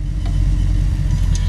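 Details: 1950 Ford F1 sedan delivery resto mod, 350 V8 with 350 automatic and MSD ignition, idling just after start outdoors in light breeze: steady even low rumble, no misses, knocks or ticks; healthy normal idle.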